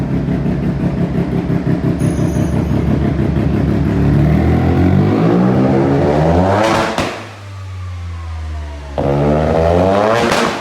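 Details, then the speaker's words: Mazda single-rotor rotary build being tuned: it starts and runs, but the loud raspy note revs up and falls back with slightly uneven firing, and it still runs erratically and needs more tuning. "it starts in it runs we still have more tuning to do because it does randomly but listen to this"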